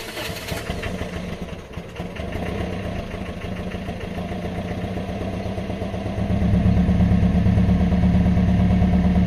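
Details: Old Toyota Corolla, recorded at the exhaust: engine cranks with an even chug about three a second for several seconds before finally catching and running louder; hard starting.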